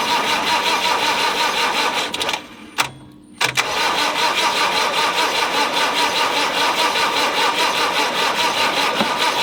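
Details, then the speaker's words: Land Rover 90 with normally aspirated diesel, unstarted for eight years, oil added: steady whirring crank at about 2.5 turns per second, briefly interrupted, never fires; cranks but won't start. "typical land rover it won't start"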